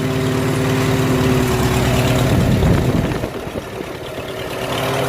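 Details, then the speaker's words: Farmall H tractor engine after tune-up work (new plugs, wires) and a spark plug side electrode pulled out with vice grips to set the gap; steady, even idle, no misses, sounding much better. "listen how much better that sounds Oh just about sounds like the app let me it sounds really good"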